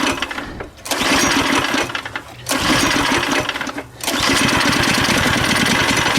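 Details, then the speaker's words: Go-kart single-cylinder engine with the choke open after flooding, throttle opened and fuel added: a few ragged bursts of firing that cut out and won't keep running. The mechanic is fairly certain the carburetor is gummed up and starving it of fuel. "Alright, we got something. Well, wait a minute. For a second I thought I had it."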